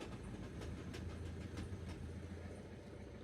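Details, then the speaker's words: Ford Transit Connect diesel idling with the clutch pressed gives a rough low rumble and faint scattered ticks, and it won't go into any gear; concentric slave cylinder failure or a completely worn clutch is suspected, unconfirmed. "I don't know if you guys can hear that it just won't go in gear in any gear in fact so that tells me the very common issue in this vehicle which is the concentric slave cylinder"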